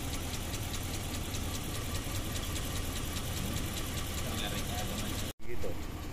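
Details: Dodge Ram 5.7 L idling with a faint, uneven ticking beat that keeps stumbling; scanner shows misfire, suspected ignition coil problem, cause not confirmed.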